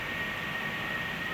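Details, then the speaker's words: Air conditioner running with a dust-clogged return air filter left uncleaned a long time; loud steady rushing air with a faint thin whistle, unit straining and underperforming until the filter is cleaned. "it's actually very, very noisy. So, I've intentionally left this one here for a lot longer so that I can show you the performance difference."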